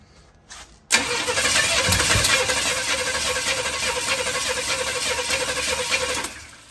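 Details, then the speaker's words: Chevy 350 V8 with newly fitted intake manifold, going into a 1972 Chevy 4x4 truck: fast even cranking with spits and uneven catches but never runs; owner notes an unplugged vacuum leak, some smoke, fuel confirmed present. "Well, definitely got a vacuum leak. Forgot to plug that. Kind of something spit out. Wants to start? Sounds like it."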